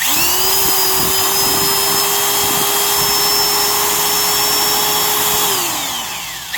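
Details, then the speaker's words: Drill that sounds fine but is more high strung: smooth, even high-pitched whine holding steady, then winding down cleanly; normal motor running. "Here's the sound of this once again. And we'll listen to how high strung. This one sounds fine, but it is more high strung."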